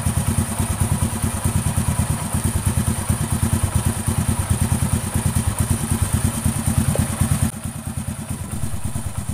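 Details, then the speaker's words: Honda Astrea Grand after readjusting loose valve clearance, at idle: an even single-cylinder thump of about two beats a second with no top-end tapping. Smooth, normal idle. "ya ini suaranya sudah halus kembali"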